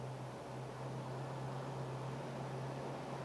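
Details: V8 with newly installed Autolite 4100 carburetor at operating temperature, ignition timing set by rotating distributor for fastest idle and highest vacuum: smooth, even low drone, steady tone, no misses or stumbles; idles cleanly.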